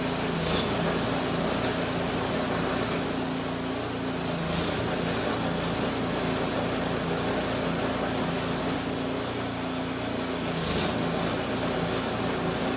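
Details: Fire-damaged Poulan Pro snow blower after gas leak, oil spray and belt repairs with new belt and tightened guides: small petrol engine holds a steady even drone at constant speed with no knocks or misses, running smoothly.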